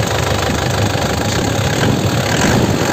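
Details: 2009 Isuzu Panther LS Turbo manual diesel, blipped throttle; crisp even clatter rising and holding steady, no knocks, no smoke, clean engine, sounds sound.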